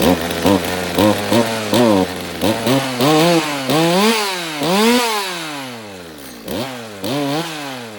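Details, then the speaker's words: Stihl MS200T chainsaw after replacing its age-cracked fuel line, warm and running with no chain. The revs drop and stumble briefly each time the trigger is squeezed before climbing: a bog on acceleration, and the owner suspects the low-speed jet is lean and needs carb tuning. "So it sounds like maybe there is still a little bit of carb tuning that could happen here. You know, the saw is warm, it doesn't have a chain on it, but it sounds like the low jet might need a little work because it's got a little bit of a bog when I hit the trigger."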